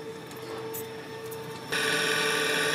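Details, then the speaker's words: 24 V servomotor on the heating-coil three-way valve of an air handling unit (CTA) with a QAF21.2 frost thermostat, power cut to simulate a trip: steady, even motor hum as the valve drives shut via spring return, then the unit's fan swells in. Normal actuator closing. "Donc là je suis sur une commande en 24 volts. Hein. Donc là on entend que le servomoteur est en train de se fermer."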